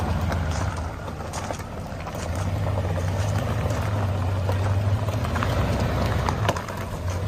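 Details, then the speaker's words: Boat-tail Buick Riviera, about 5,000 miles shown, after first start and topping up fluids: steady even low idle rumble with no knocks or ticks; engine idling smoothly after clatter quieted. "sounds like it's running pretty fine steers nice and easy I love it"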